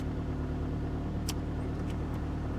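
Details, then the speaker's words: 1992 Saturn SL2, bought for $300 from auction, jump-started with a booster pack; fired right up, initially a little rough with the service engine soon light on, now revved and idling with a steady, even low hum, no misses or knocks; sounds healthy. "let's give her a little rib she sounds healthy"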